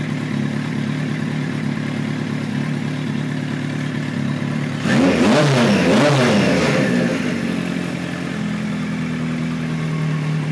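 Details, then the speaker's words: 1973 Kawasaki Z1 900 four: smooth, even idle with a light sewing-machine patter and one clean blip, no popping or sputtering, about 98% sorted. "got a little bit of that sewing machine sound going on now which is"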